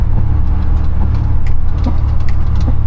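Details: 2011 Chevrolet Impala 3.5L V6 on a test drive with an exhaust leak and suspected front sway bar link noise: sharp irregular clicks, roughly two a second, from the front suspension over road rumble; cause not yet found.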